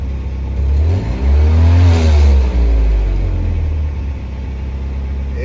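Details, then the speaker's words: 1986 Pontiac Fiero after tune-up, now idling about 800 rpm: quick rev climbs smoothly and drops back cleanly, no misses or knocks; good oil pressure, sounds healthy. "sounds good. Got good oil pressure."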